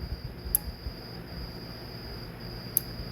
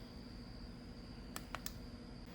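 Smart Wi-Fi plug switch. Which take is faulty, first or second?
second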